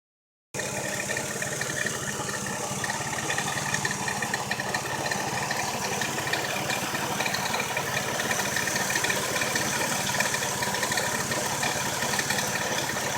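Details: Engine idle with a quick, light, uneven ticking about four times a second; abnormal engine noise, cause unknown.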